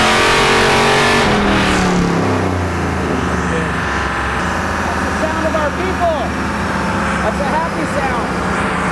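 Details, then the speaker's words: 1964 Chevelle on dyno, transmission shift points controlled by a Terminator unit; earlier it would not shift because of a cannon plug connector, which was reconnected: full-load pull with revs climbing and dropping cleanly on upshifts, no slipping. "Turns out it was just a cannon plug connector. We just disconnected it, reconnected it, it's working fine."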